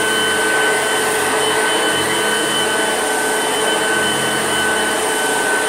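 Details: Old Hoover Junior upright vacuum, recently repaired at a shop, running with a steady, even motor whine and a clean high tone, no screech or rattle; sounds healthy.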